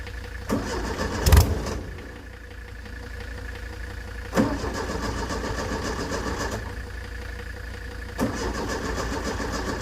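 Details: 1970s Layton roller compactor, Ford Taunus 60-degree V4, fuel pump switched on, good battery: starter grinds on at a steady, even pace with no firing at all; crank no start from corroded ignition points.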